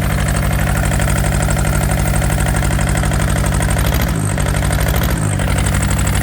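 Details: Yanmar TK486 4-cylinder diesel just started with the throttle low: lumpy, uneven idle with a loping beat about twice a second that stumbles when revved; the two front cylinders aren't firing, their injection lines leaking or unhooked.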